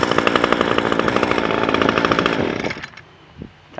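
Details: Echo SRM 225 two-stroke trimmer with cheap aftermarket carburetor, no adjustments: steady fast buzz with even firing for nearly three seconds, then shut off; ran as well as the original carburetor.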